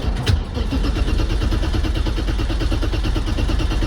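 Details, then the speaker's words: 1990 BMW 535i E34 inline-six that sat for years, shorted battery replaced by a jury-rigged motorcycle lithium battery, fuel pump heard priming: the starter spins the engine at an even cranking rhythm but it never fires; cause not confirmed. "come on it wants to go come on I feel it I feel it wanting to [Music] go"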